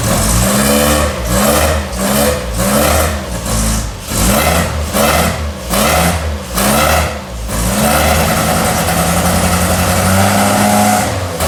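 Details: 1964 MG Midget first run after 29 years stored, after new coil, rotor arm, points, condenser, fixed electric fuel pump, flushed fuel system, new battery; air filters off: idle picks up into quick blips about once a second, dropping back cleanly; revs freely, healthy.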